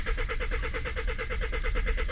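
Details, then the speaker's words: Citroën C5 2.0 diesel automatic, glow plugs and compression checked OK, fuel filter changed, air suspected in the fuel line, engine light flashing: steady rapid cranking with no firing, with or without preheat or starting spray. Cranks but won't start. "ça tourne ça tourne ça tourne ça tourne mais rien de ti vct avec préchauffage mais ça veut rien savoir"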